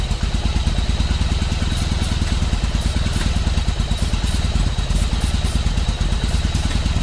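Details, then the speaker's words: 1995 Yamaha Virago 1100 V-twin just after its first start in 12 years, following carb cleaning. A loose, uneven thump settles into a steady low beat; the engine keeps running on its own. "Well, guys, it runs, huh? First start in 13 years. No, 12 years."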